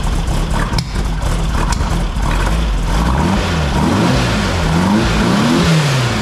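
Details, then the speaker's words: 1964 VW Beetle flat-four after distributor timing was set with a test lamp and fine-tuned: a smooth burble with light throttle blips and no popping or banging on the test drive. "okay just went for a test drive no popping no banging smooth as silk"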